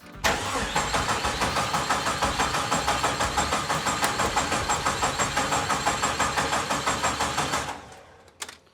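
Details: 1972 Jeep Commando with a 2000 Cherokee 4.0 straight six and AW4 swap, on first start attempts with a little gas poured down the throttle body: even cranking at about three beats a second for seven seconds, never catching. No spark from a disconnected coil pack.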